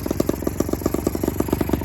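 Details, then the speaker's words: Honda Express 2 scooter with 60cc big bore and performance parts after tuning: quick, even popping idle about a dozen beats a second with no stumbling; no longer bogs at high rpm or starts hard, now revs fully and reaches 35 mph. "It's no longer bogging down, which was the main issue."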